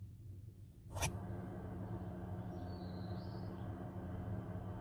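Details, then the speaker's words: Nakatanenga mobile Heater Box diesel heater (5 L tank, about 40 hours) installed in a Subaru 2.0 e-Boxer Forester for car camping, running with its muffler removed: a low steady droning hum with a faint chug, unmuffled and loud, showing why the muffler is required. "it reduces dramatically the noise of the engine it is absolutely required because if you don't have it it sounds like this please listen to the difference I take it away"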